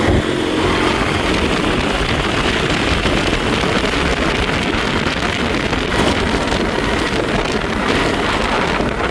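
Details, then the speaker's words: Honda Beat scooter test ride after repairing a final drive (gear ratio) that whined and grated: steady speed under heavy wind rush, with no gear whine left. "Oke guys, jadi seperti itu hasilnya ya, tidak ada ngiung lagi."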